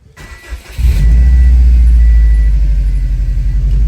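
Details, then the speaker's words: 2006 Subaru WRX, 173,000 miles, first start after replacing fuel filter, pump strainer and pump gasket with tank near reserve: brief crank, catches at once and settles into a smooth, even, deep idle; no fuel leaks, healthy. "She's on. No leaks. Yeah, buddy. No fuel leaks."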